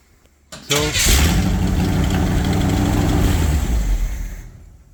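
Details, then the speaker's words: Chevy 350 V8 in a Wide Gauge Bombardier after a tune-up and an oil and filter change, with long-unchanged black oil drained: short crank, fires at once and settles into a steady, even idle with no miss or knock; running clean. "Running smooth, running clean. Once it gets gas, then it's good."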